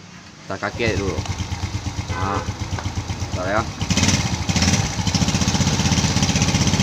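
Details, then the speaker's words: Yamaha Jupiter ZR/Vega ZR small single after rebuild and reinstallation, with carburetor serviced and oil flow checked; a steady, even putter of about four beats a second with no knocks or rattles. It idles smoothly. "berarti ini motor sudah aman ya ini mesinnya pun halus ya mesin halus"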